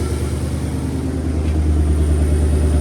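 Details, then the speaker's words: 2019 Ford Coyote V8, 10-speed, after exhaust camshaft, rocker and Boundary oil pump gear replacement, freshly started with oil pressure, warming up: smooth, steady idle rumble with no knock; previous consistent knock from back of passenger head gone. "I ran the motor over and checked the oil level. It was good, so I'm not hearing that consistent knock I was hearing before. That's good."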